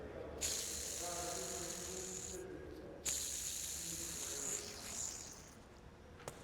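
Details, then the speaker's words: Hand-spun pulley from the 2015 Mercedes-Benz S65 AMG engine's belt drive, removed during the rebuild, gives a harsh, hissy grating whir that fades out. The worn pulley bearing would make a massive noise at idle, so pulleys and belt were replaced. "So So the reason why I'm replacing these pulleys is because just listen to this bearing."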